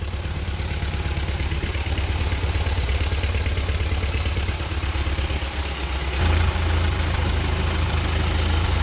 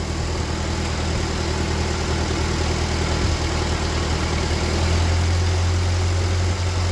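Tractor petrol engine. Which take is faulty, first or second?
first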